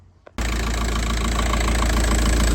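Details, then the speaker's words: VW Passat B5.5 1.9 TDI PD130 (AWX) turbo diesel, first start after turbo replacement: starts at once and settles into an even diesel idle clatter, no whistle or misfire; slight smoke only from oil spilt while priming the turbo, running sweet. "I don't know if you can see that, but it's there's a bit of smoke, but that's just from the oil I spilt when I was priming the turbo. But it is running sweet."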